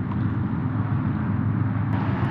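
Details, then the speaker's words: Pressure washer after replacing its pump check valves (no pressure after months unused): steady even low drone with no surging or dropouts, pressure restored, normal running under load. "that's odd this thing usually starts on the first or second pull right away we have pressure I would call that a success"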